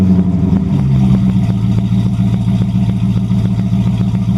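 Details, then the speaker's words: 1928 Dodge Fast Four with Gen III Hemi V8 swap, RH46 automatic, quiet exhaust, cold start just below zero with frost: fires quickly into an even low burble, steady pulses, no misses or ticking; healthy cold idle. "She runs good. It's not very loud. I didn't want it really loud."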